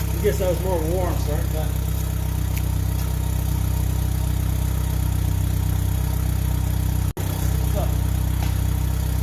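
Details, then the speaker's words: Gen1 Chevy Cruze 1.4T, tuned by Trifecta, just fitted with ZZP catless downpipe and mid pipe on stock exhaust: warm engine settles into steady even idle with light rev rises and faint turbo whistle; normal start and rev with turbo spool. "you can sort of hear the turbo in there a little bit. I'll bring you up front really quick. Yeah, everything's good."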